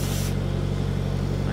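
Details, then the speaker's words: Victor cutting torch with scarfing tip cutting a shipping container wall for a door: steady torch roar with rough fluttering sputter, 'alligator chomping'; steel not hot enough, not cutting smooth. "can hear the alligator chomping at it. Means it ain't warm enough. You hear it like spitting and a sputtering. Kinda, you can tell it's not cutting smooth."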